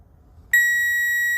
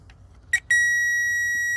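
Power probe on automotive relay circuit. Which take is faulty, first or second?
second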